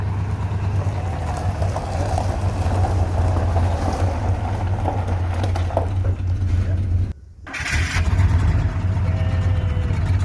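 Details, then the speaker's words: RV engine after repair at the shop, with starter and flywheel now working: catches cleanly and settles into a steady, even low rumble with no knocks or misses; normal start and idle. "The starter is working and the flywheel was working, and it started just fine."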